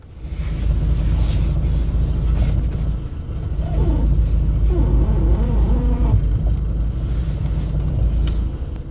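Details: Renault Sandero 2nd generation, 1.6 8-valve, steering creaks when turned one way: over a low idle rumble, a wavering creak rises and falls with the wheel, from the suspension, not plastic; worn ball joint, fixed by replacing it.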